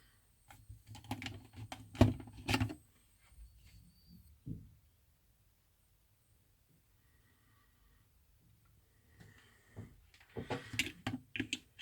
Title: Ac adapter strange noise